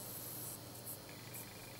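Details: Power supply board, about 19.6 V output, giving a faint, thin high-pitched whistle over hiss. R26/R27 went from 5 kΩ to 910 Ω and R34 was changed, with shielded wires also tried; the whistle only lessened and remains at one setting.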